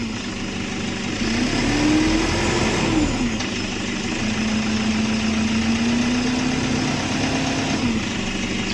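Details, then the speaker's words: Toyota Vigo diesel idling and blipped: steady low hum rising in pitch with throttle, heard in the cabin; feared turbo failure, but boost tested normal; the torn, disintegrated rubber part by the steering rack behind the turbo is blamed. "ทีนี้เวลาเครื่องทำงานนะครับเทอร์โบมันหมุนเนี่ยเสียงเครื่องมันจะอื้อๆนะครับ"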